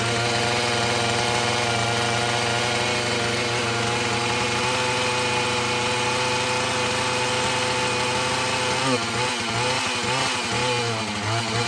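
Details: Filthy Husqvarna 445 chainsaw before repair, restarted: a high, buzzy two-stroke note stumbles and wavers when throttled instead of climbing cleanly, bogging; mechanic suspects a stiff carburetor diaphragm and that the carburetor needs cleaning and adjusting; not confirmed.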